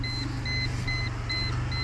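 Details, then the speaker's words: Mercedes that began knocking when steering after hitting a large pothole, with a temporary fix applied; wheels at full lock with throttle applied, the engine pulls smoothly with no knock, only steady warning-buzzer beeps; no knock at full lock. "Вот сюда вот я вывернул максимально как раньше нажимаю на ГАЗ стуков нет"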